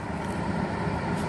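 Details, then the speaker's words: Replacement dehumidifier switched on: steady low buzz with no compressor starting, same as the previous unit; compressor locked up. "it doesn't work hear that buzzing it's the same thing the other one was doing"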